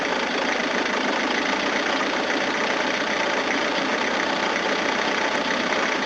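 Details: 1980s Toyota Hiace diesel van, new fuel filter, injection pump not priming, air in fuel system: uneven clatter hunting and stumbling at idle without settling; rough running, owner suspects air in lines, may need to crack injectors, unconfirmed.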